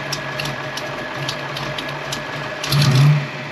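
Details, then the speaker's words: Ford Foxbody Mustang with old engine computer and mass air flow meter swap: steady, even idle with low lumpy cam note and faint exhaust-leak tick, no stumbling; idle could be a hair higher; normal idle. "Don't get me wrong, I could probably turn the idle up just a hair more. But man, that sounds good. It's actually idling good."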